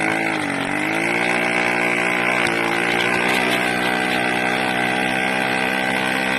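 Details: 80cc two-stroke engine, loud and raspy at high revs, surging and dipping unevenly instead of holding speed; owner suspects a carburetor problem with an air leak at the intake manifold, not confirmed.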